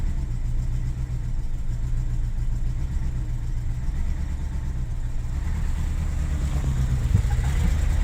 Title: BMW 735i E65 cold start misfiring